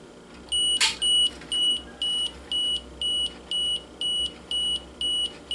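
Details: 1987 Pentax SF1 35mm analog film camera, self-timer selected via drive mode: clear high-pitched beeps about two per second, evenly spaced in a quiet room; self-timer counting down normally.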